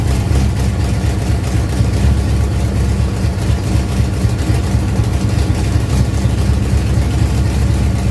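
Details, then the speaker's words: Ford Pinto drag car after Holley carburetor rebuild (grit cleaned out), secondary throttle stop backed off, fired up to adjust idle and air bleeds: steady, even low rumble, running on its own with no stumbles or hunting; normal idle. "I'm gonna fire this thing back up and now we should be able to adjust the idle and the air bleeds to get this thing actually run right"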